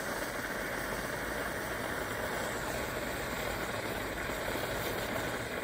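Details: 1930s Primus 70 pressure camp stove, restored with new jet and running on Coleman fuel. Even, steady roar without sputter or pulsing, running strong and clean; owner suspects pressure escaping at the cap, which may need a new seal. Normal burner roar.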